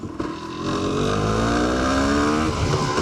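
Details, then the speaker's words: 1991 Honda CRM 250 two-stroke after balancer shaft and bearing replacement, riding through the gears: crisp note climbing smoothly in pitch, no knocks or rattles; normal running under acceleration. "Yeah, she's sounding good now. That is excellent."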